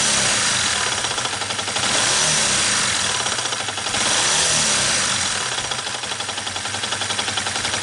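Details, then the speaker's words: Yamaha New Vixion engine running with the clutch disengaged: a quick, fairly regular knock about three to four a second. The suspected loose clutch (replaced August 2019) turned out to be a loose crankshaft bearing; needs engine teardown to confirm. "Oke, udah sama-sama kita denger sob. Bunyi ada pada bagian sokarnya. Tapi harus turun mesin biar cek lagi, biar tahu mana yang bermasalah."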